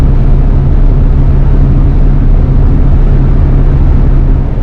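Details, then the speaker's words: 1966 Thunderbird barn find V8 with a fully rebuilt Autolite 4100 carburetor, dwell and timing set, after a carbon-cleaner treatment. Deep, even V8 rumble holding a steady pace with no misses, stumbles or knocks: healthy, settled idle. "So we've got it back up and running, and it seems to be running pretty well."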